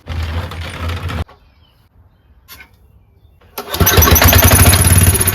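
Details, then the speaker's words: Powerback 5000 W generator with a Tecumseh engine, before repair. Hard to pull, it won't start on gas in the bowl, only after ether; the tank gas is possibly 10 years old. It runs briefly, cuts out, then catches again rough: hard starting. "And it's hard to pull, too. Really difficult."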